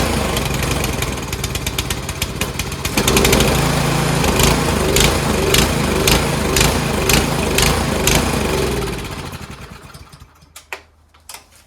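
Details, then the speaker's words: Troy-Bilt Storm 2410 two-stage snowblower engine test-run after carburetor work; it fires and runs but revs still rise and fall unevenly, then die away. Surging persists except with the choke about halfway, where it runs well. Cause not confirmed. "So we just ran it for a little bit, and unfortunately it still does surge. The only time it doesn't surge is when you have the choke like halfway, and it runs good."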